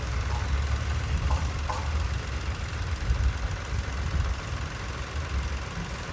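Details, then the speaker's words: 2010 Nissan March manual petrol, single owner, never run on gas: starts instantly and idles deep, steady, smooth and quiet with no knocks, misses or rattles; normal idle. "ผมสตาร์ทเครื่องให้ฟังนะครับสตาร์ทชึ่งเลยนะฮะเครื่องเดินเรียบเดินเงียบเลยนะ"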